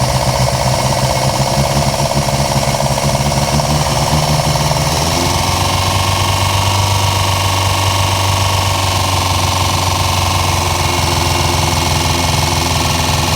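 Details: Chevy LUV after a new fuel pump: a harsh, rapid hammering clatter over the running engine that shifts pitch as the revs change; fuel is not reaching the carburetor, a stuck pin is suspected, and the knock's cause is unclear.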